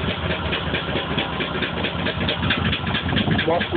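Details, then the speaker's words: Lumpy, uneven idle with irregular stumbles, shaking violently enough to shake the floor. It started with throttle pressed and has just had fresh plugs after the old ones came out black and smelling of gas. There were no codes, then a first solid check engine light; the misfire cause is unknown. "shaking violently you even see the floor shaking and this is what happened"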